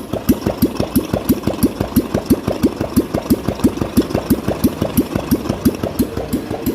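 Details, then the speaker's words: Royal Enfield Classic 350 single idling after a top-end tik-tik fix with new rockers fitted and the hydraulic lifters repaired, not replaced; steady, even thump with no tapping, a healthy idle. "So guys finally गाड़ी का काम complete हो गया है और गाड़ी हमारी start भी हो गई एक बार आप आवाज सुन सकते हैं गाड़ी"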